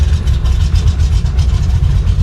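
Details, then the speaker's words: 1966 Impala with a 560hp V8 on its maiden start, cold. The lumpy, loping idle surges and sags and it chugs as if trying to die. Flooding is suspected and the choke may have fallen closed; not confirmed. "she ain't running so good. Sounds like it's flooding out."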